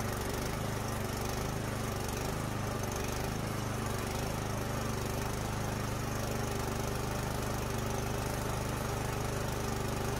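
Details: Craftsman 24-inch electric-start snowblower that would not start after sitting all summer, running after carburetor cleaner was sprayed into the spark plug hole: even, steady small-engine drone holding speed without misses or stumbles. Normal running.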